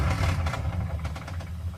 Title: 2002 Dodge Ram 4.7 lifter ticking